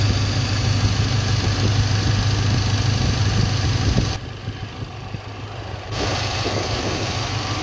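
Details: Engine at idle, cylinder kill test by shorting the spark plug wire to ground: rpm drops slightly, air-fuel ratio rises and the idle chugs a little, so that cylinder is firing, not misfiring.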